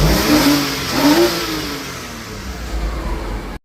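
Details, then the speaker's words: 2002 Porsche, manual, after the wiring was reconnected: pitch climbs and falls smoothly through a couple of blips, then holds a steady idle with no misses. Normal revving with steady RPM; the check engine light is still to be cleared. "it's pushing steady exhaust it's not idling weird RPMs are staying steady I'm going to go to the auto part store and clear that with little check engine light also going to get some gas oh my God she sounds amazing hold on I got to rev it"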